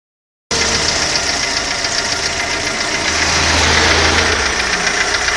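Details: Audi 80 engine knocking: loud, hard, somewhat uneven knocks about three and a half per second over the running engine; source undetermined.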